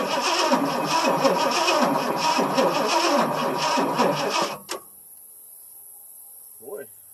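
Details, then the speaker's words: 1977 Ford F150 Supercab Ranger XLT, 460 V8 with Edelbrock four-barrel, cold start after sitting, fuel poured in carb: starter cranks evenly about three or four turns a second for over four seconds, never fires; possibly no spark or flooded; fuel filter full of fuel. "don't seem like she wants to do anything I see this fuel filter is full of fuel right off the bat that's weird"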